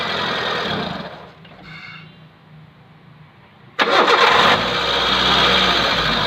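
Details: Hyundai Santro making a loud noise at start-up; a brief crank, then a loud, harsh whirring roar settling into a rough drone from the engine bay; worn power steering pump bearing, fixed by replacing the bearing.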